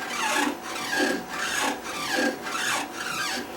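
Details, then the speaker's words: Stamina InMotion E1000 mechanical elliptical trainer, foot pads removed: squeal rising and falling with every stride, about 100 a minute, from a connecting rod scrubbing against its wheel. "so the issue is associated with this rod and in fact the issue was associated with this wheel and we're going to take another closer look at that so as it turns it's scrubbing the wheel"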